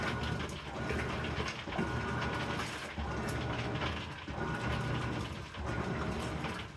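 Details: Amana washer NTW4519JW3, bought new July 2023: rough crackling and ratcheting in bursts with each agitation stroke, under one a second; cause unknown.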